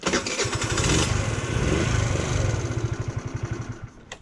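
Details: GY6 scooter starting with a good fuse after failing with a corroded one: starter whirs, engine catches promptly and settles into a steady even putter about four beats a second; normal start.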